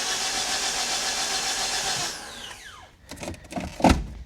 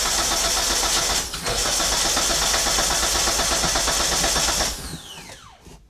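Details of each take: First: Flooded Mitsubishi Eclipse after starter replacement and cleaned wires, spark plugs out: even, strong whirring crank with no drag, then clean spin-down; healthy starter cranking. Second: Flood-damaged Mitsubishi Eclipse: the starter spins the engine at a steady, even churn but it never catches, then cuts out. There is no spark and no fuel pressure, and the check engine light flickers dim and bright.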